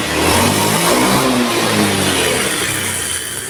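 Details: Honda Beat ESP scooter after a top-end rebuild: it revs briefly, then settles into a smooth buzzing run with no knock or rattle. It was very rough and smoked thinly before; the fix was the correct Beat ESP piston, since an old Beat piston can hit the head or valves.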